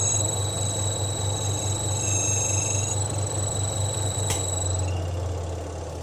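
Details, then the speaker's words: Twin-tub washing machine spin dryer while rinsing: rhythmic low thumping about four times a second under thin, high squeaking that worsens with heavy loads. The cause is a loose bolt on the shaft, fixed by tightening it. "Jadi ini kebetulan mesin cuci saya saat membilas itu mengeluarkan bunyi berderit seperti ini. Itu jadi suaranya seperti itu, berderit."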